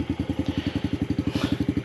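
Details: 2019 Yamaha TTR50 after fixing intermittent cutting out, with controls lubricated: fires right up and holds a crisp, even putt of about ten beats a second with no stumbling; normal start and idle.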